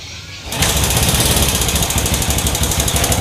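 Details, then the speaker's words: Supra motorcycle with a new carburetor that keeps fouling spark plugs; the owner suspects leaking valves. It catches and settles into a rough idle with irregular ticking, about three per second, over a harsh chug; cause unconfirmed. "Ini motor hidup walaupun suaranya ada suara ketikan ya, suara agak kasarlah bahasanya kayak gitu."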